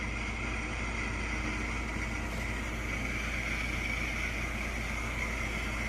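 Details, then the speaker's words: Athearn Chicago & North Western RS-3 model locomotive running: steady small-motor whir with a loose free-spinning sound underneath; something inside is spinning freely, cause not yet found. "I don't know if you can hear that, but something is free spinning in there."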